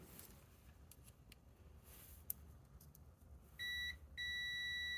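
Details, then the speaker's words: Hot tub pump not running with an "HDR flow fail" heater error and the pump only clicking; multimeter continuity test on the new 240 V spa pack fuse gives a steady beep, while the old blown fuse gave none: continuity on a good fuse. "that's it that's the new one I got the old one the old one no beeping so let's put in the new one"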